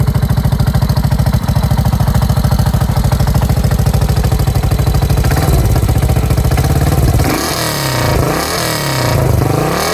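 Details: 1986 Yamaha SRX600 single-cylinder motorcycle idling with lumpy thump and metallic clatter, briefly revved mid-clip: abnormal engine noise.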